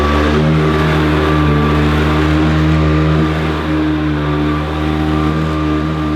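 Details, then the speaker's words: Hoover Decade 80 upright vacuum imported from the USA, running on normal power setting: loud steady motor drone with a strong low hum and a few steady tones over it, vibrating a bit; owner unsure if this noisy running is normal. "please comment below if you think this sounds ok it's hard to judge a course on a YouTube video so it's pretty noisy on normal"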